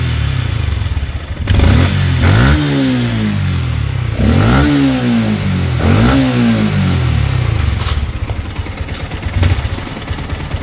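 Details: Yamaha Sniper 155 at 39,289 km, no preventive maintenance yet, running after it cooled. Three sharp throttle blips bring metallic clatter rising with revs; mechanic suspects cam bearing, quiet after cam bearing and cam replacement: cam bearing rattle.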